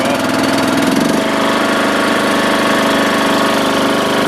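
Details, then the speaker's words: Zero-turn riding mower (Toro Timecutter 14-38z listed) starting in cold, snowy weather after sitting a while. It catches and settles into a smooth, even run with no stumbling, knocking or surging: "runs like a top." Normal idle. "Runs like a top."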